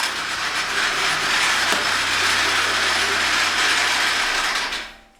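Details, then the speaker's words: Toyota 5A-FE engine idling with uneven metallic ratcheting clatter and lost power; owner suspects timing belt jumped a tooth after frost or water, or a rattling tensioner pulley. "как результат пропала тяга понятно что должно по идее все пропасть но Будем пробовать посмотрим возможно бренчит натяжной ролик"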